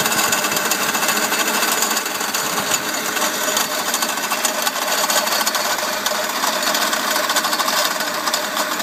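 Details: Mercedes CL500 W215 tandem pump (ABC hydraulic plus steering), running engine: a fast, dry metallic rattle from the pump area. It persists after the pump was replaced with a new one; owner suspects a broken or loose bearing. Steering and ABC work fine.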